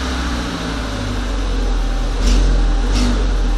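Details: VW Passat 1.8T, cold engine under load: steady drone with a faint uneven crunch from the back of the engine, near the turbo or higher by the combi valve; gone at 70-80 degrees, power loss, secondary air fault code; cause unknown.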